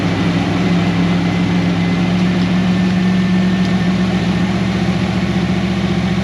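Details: 1988 Holden VL SV88 V8 after repairing the Rochester Quadrajet needle and seat and choke arm, muffler removed: an even, deep idle burble at about 220 pulses a minute with no stumbles or misses.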